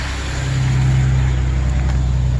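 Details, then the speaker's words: 2008 Chevrolet Express, running briefly with no coolant: steady, even low idle with no ticking, puffing or misses; old oil burning out of the exhaust; normal idle. "I really can't run it too long because I don't have the coolant and stuff hooked up to it, but it's running."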